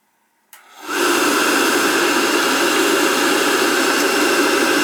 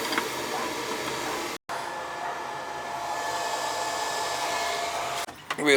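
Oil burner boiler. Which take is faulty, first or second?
first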